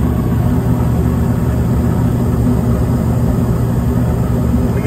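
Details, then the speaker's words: York package unit HVAC on heat call: inducer motor vibration fixed by tightening several loose nuts; now a steady low hum with no rattle or vibration, running smooth and quiet. "I was able to get the inducer to stop vibrating a couple of these little nuts right here real loose so I just tightened them up and it stopped vibrating it's quiet now"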